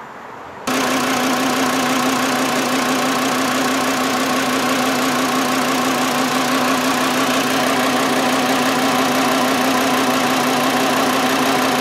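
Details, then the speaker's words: 2009 VW Jetta 2.5L with flashing check engine light and rough running: uneven idle pulse about three beats a second over a steady hum; cylinder drop test found one cylinder with no spark from a bad ignition coil. "so now we've confirmed low Tech we have no sparkk one bad ignition coil we didn't even need a scan tool all we have was a test light and a voltmeter"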